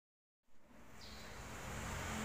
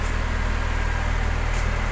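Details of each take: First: Medium bus AC: harsh rising growl after a click as the AC engages; the original compressor is badly worn, its clutch magnet plate/centre piece broken; condenser fins also damaged; owner chose replacement of the compressor. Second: Medium bus AC after replacing the harsh-growling compressor with an original unit plus new condenser, twin dryer and fan belt, vacuumed and recharged: steady low hum with fine even pulsing, no growl or knock; cooling again, low-side pressure settling from 40 to 30.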